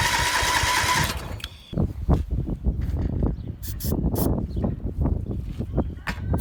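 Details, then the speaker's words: MTD lawn mower being built into an off-road mower; starter churns engine in uneven chugs and clunks without catching; no spark, later restored after releasing the parking brake and adjusting the headlight wire. "I'm not seeing a spark."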